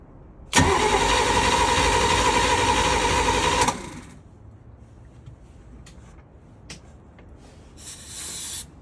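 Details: Bertram 28 boat engine with a rebuilt starter, wrong starter fitted for this engine: about three seconds of steady cranking at roughly three beats a second with starter whine, then stops without firing.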